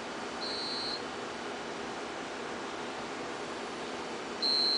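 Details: Homebuilt generator transfer switch test with AC mains disconnected: the generator engine is not running, so power has not transferred, and the UPS units emit a half-second high beep about every four seconds while running on battery backup.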